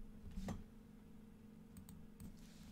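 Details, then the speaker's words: Anet ET4 3D printer filament runout sensor while loading filament: crisp single click then lighter ticks over steady fan hum; switch releases and triggers as filament runs out, normal operation. "if you listen really closely when the filament actually runs through the sensor and runs out you will hear another click that is a release of that sensor and that is when the sensor itself triggers to let the printer know you are out of filament"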